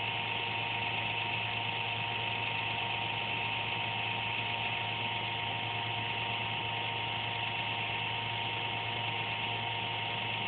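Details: Computer making an occasional buzz once or twice a day, performance unaffected: a constant electrical buzz at fixed pitch with no rhythm; the owner suspects the fan but is unsure.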